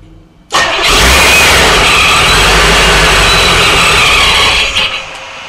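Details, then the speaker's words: Supercharged Corvette first start-up after build: cranks, catches, roars at fast high idle about four seconds, then sags and dies; won't hold idle. "Houston we have a problem that didn't go off very good at this point I'm thinking n it's an easy fix"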